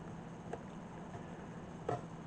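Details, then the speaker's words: Mercedes automatic transmission at idle: two or three light clicks over a low hum as the gear shifter is rocked in reverse, with excessive slop; hardened, worn shift linkage bushings. "It should feel firm, and this is not feeling firm. You could hear it clicking a little bit."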